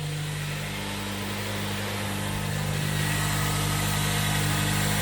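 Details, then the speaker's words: Ford Fusion Hybrid HF35 transaxle leaking at the axle seal because the main differential is loose and moving around, damaging the seal: a steady low whine rides over the even drivetrain drone, quieter than some, before rebuild. "and what happens in that axle seal the uh main differential is moving around in there and it messes up the seal and then all everything comes out so here's what it sounds like this one's not as loud so still some wine"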